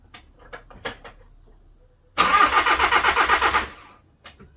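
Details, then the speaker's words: VW Crafter campervan diesel after head gasket failure and top-end rebuild, timing hand-set: about 1.5 seconds of even rhythmic cranking, never fires; turns over but won't start, error code showing. "ah that's me i'm relieved that it's actually turning over and it's got to that point um it's bringing up an error code so we need to find out what that error code is"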